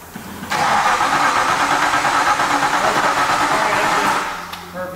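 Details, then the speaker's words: Crashed Aston Martin Vantage with new ignition switch and fuel injectors disconnected, cranked without a jump box after the starter wire was moved to a body point: strong, even cranking about three turns a second, steady speed; starter turns the engine healthily. "we can see that it crank perfectly fine"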